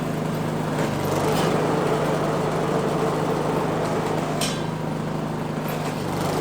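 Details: Neglected Craftsman snow blower 247.889571, about half throttle after start with choke off: fairly steady running with slight unevenness, settling once choked a bit; otherwise sounded very good.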